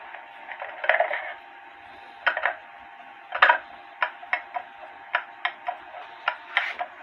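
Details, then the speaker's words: H.Th. Mylius German regulator wall clock, movement out of its case with the pendulum on after a fall: ticks come at uneven spacing, a short gap then a long one. The clock is out of beat and needs adjusting. "you put the pendum on and then you wait a few minute few seconds or whatever before you start listening for the even Tick Tock that's not right to me so I'm going to uh adjust it some"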